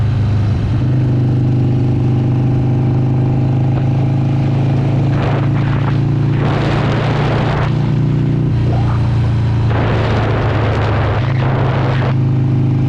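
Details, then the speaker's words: Older Harley-Davidson with CV carburetor on a road ride after richening the mixture adjustment for lean hesitation, possible rejet needed: deep steady V-twin rumble pulling cleanly and responsive, though it later dies; idle may be set too low. "so already this thing just feels so much better. It has so much more power and it's so much more responsive, and then it dies on me."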